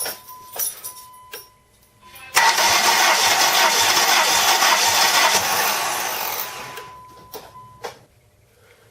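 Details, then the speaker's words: 1998 Dodge Neon compression check, ignition wire disconnected so there is no spark, gauge screwed into a cylinder: starter spins the engine steadily for about four seconds, even rhythm, no dragging; the cylinder read over 180 psi, healthy. "And now next, I'm going to get into the vehicle, and I'm going to turn the motor over, and I'm going to, at least for about 5 seconds, or you're going to hear the motor lope at least 5 times, and then that will be what your reading will be."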